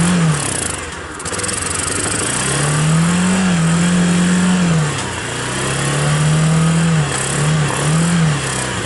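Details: 1985 Honda TRX250, cold start, carb not rebuilt, choke disconnected, gas poured in bowl and intake, started via battery pack: small single revs blip and drop back cleanly without knocks or rattles; runs okay, normal running.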